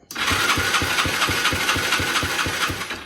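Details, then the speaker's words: 70cc ATV: steady starter cranking, about two compression strokes a second, never fires despite choke on; crank no start; spark checked, owner suspects it is not getting fuel. "doesn't want to start put it on choke on choke should be on yeah choke is on I got to figure out what's going on has spark I already checked that seems like it's not getting gas"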